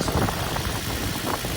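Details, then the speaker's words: 2004 Infiniti G35 RWD at auction: the engine idles with an uneven, lumpy beat and visible shaking under a steady rumble, though it otherwise sounds good. Owner suspects a spark plug or coil pack. Rough idle. "have no clue why uh yeah the engine is shaking let's take a look at it actually okay well like the engine is shaking but it sounds good to be honest with you guys like it sounds pretty good that's interesting"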